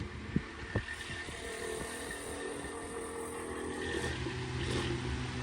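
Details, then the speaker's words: 1988 Dayton 9-inch oscillating fan, model 4C523E, new in box, on high speed: steady hum with a buzzing vibration from a slightly off-balance blade; bearing knock on high also noted. "Yeah, it seems to be a vibration issue with that blade. Be able to tell. Yeah, it's just vibrating away."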